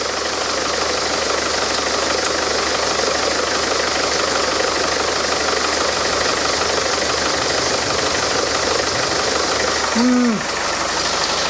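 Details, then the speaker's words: Land Rover Defender 110 diesel idling with the alternator removed: a faint, irregular crackle a few times a second over the idle; the power steering pump is suspected, fluid at the bottom of the stick; cracking noise at idle. "there's something making a strange cracking noise and I'm wondering if it's the power steering pump"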